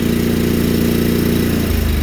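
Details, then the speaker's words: Sears Suburban snowblower with a 20 hp Briggs & Stratton V-twin, warming crankcase oil with choke on: loud, lumpy, uneven chug with a dropped beat, running on one cylinder and burning crankcase fuel. "yeah it's definitely not firing on both cylinders properly and of course she dies now"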